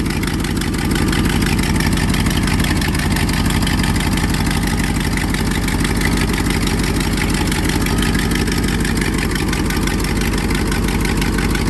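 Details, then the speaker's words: 1982 Triumph TR8 V8 idling, recorded at the engine bay: rapid uneven puffing tick over the low rumble; an exhaust leak, also smelled, seemingly from near that spot in the engine bay. "So, you can definitely hear there's an exhaust leak. That's not normal. I can definitely smell there's an exhaust leak."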